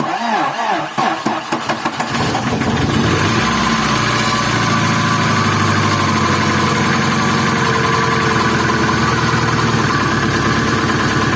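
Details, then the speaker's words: Opel C20XE engine in a Moskvich after cleaning the hydraulic lifters, first start in very cold weather: short crank then fast light tapping over idle, lifters ticking intermittently while pumping up. Oil pressure normal. "гидрик периодически затихает оно прокачивается что вот уже гидрид прокачался"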